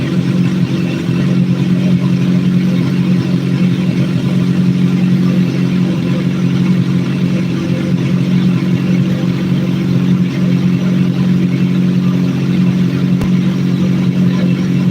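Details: Motorcycle after valve adjustment, engine hot (coolant 160°F or above) during throttle body vacuum sync: steady low idle, even beat with no stumbling or hunting, cutting cleanly; runs healthy, cold-start bog gone.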